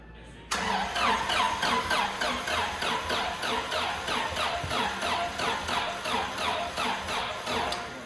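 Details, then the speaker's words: Scout-based Norra 1000 race truck (Race Terra), first start attempt after head and valve job: starter cranks steadily, about three beats a second, without catching; hard cranking, sounds like it's fighting itself, timing suspected, maybe needs more voltage. "Not a good sign. I don't know if the timing... She sounds pretty good though. That sounds like she's fighting herself."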